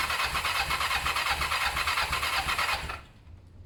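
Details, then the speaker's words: Kawasaki ER-5 twin during service after carb cleaning and new fuel hoses: steady starter whirr about three turns a second for seconds, no catch; cranks but will not start. Owner thinks carbs have fuel and plans to check spark plugs. "so I think there is fuel in there in the carbs I don't think there's an issue there next thing here to do is check the spark plugs"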